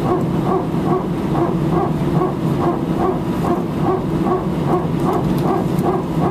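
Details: Air France A319, flight AF2487 Sofia to Paris, 15/01/2012, recorded from cabin seat 18F while taxiing for take-off: loud bark repeating about twice a second in spurts over engine hum; strange mechanical barking, origin unclear.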